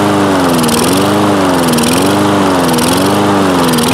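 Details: Toro Recycler mower with Kohler engine, long unused: engine speed rises and falls about once a second, steady hunting; improves with throttle held open or choke forced closed, lean running.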